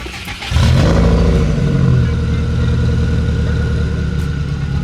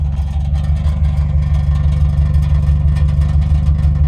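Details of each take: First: Subaru WRX after the exhaust was shimmied back onto its slipped hanger: starts on the first crank, flares briefly and settles into a deep, steady idle with no rattle or tinny buzz. Normal exhaust note after the fix. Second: Older Subaru WRX running: low, pulsing exhaust drone with a tinny, tin-can buzz on top. It started just after a battery replacement, and the exhaust had slipped off a hanger, so it touches and rattles.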